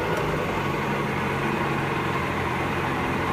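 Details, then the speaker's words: Pelin Nomad idling after start: steady, even idle with a low settled hum and no knocks, misses or surging; sounds about right, though it probably idles a little lower when first started. Normal idle. "Yeah, cool. So that sounds about right to me. When you first start, it probably idles a little bit lower than that, but I'm sure that'll be fine."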